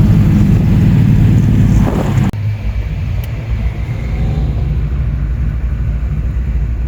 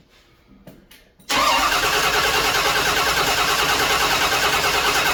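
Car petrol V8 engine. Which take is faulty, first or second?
second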